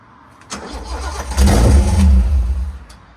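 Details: Abandoned 1972 Datsun 240Z L24 with uncleaned carbs, after fixing a rear carb fuel leak: cranks and catches briefly on ether spray, then fades out, not yet running on its own fuel.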